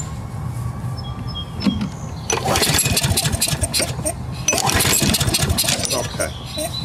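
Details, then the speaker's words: Craftsman 6.5 hp self-propelled mower, Briggs 190cc engine, ran rough then wouldn't start: ragged pull-start cranking that never catches despite the choke; wet plug and fuel smell, plug or ignition coil suspected; cranks but won't start. "right, so she won't start. Let's pull the plug on it. So, all right, we got a wet plug."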